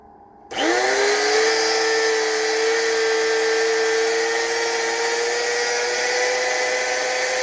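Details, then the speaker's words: Milwaukee 6148 grinder after rebuild with new grease: motor tone climbs slowly instead of snapping to full speed; previously spun slower than normal and bogged as if jammed; owner wonders if grease needs time; warming up. "Again, it would it when you would engage the um the switch, it would turn, but it would go a lot slower than normal. It would go really fast, but it would still be a lot slower than normal and would kind of bog down like it like there was something jammed up or stuck inside."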